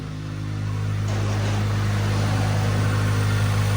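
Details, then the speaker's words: Car with notorious timing-chain-stretch engine, 149,000 on the dash, Skunk2 Mega Power exhaust, no check engine light, starter solenoid suspected bad: fresh start settles into a steady even idle, deep exhaust note, no ticking or misses; normal idle. "It sounds good. We got Skunk 2 Mega Power exhaust."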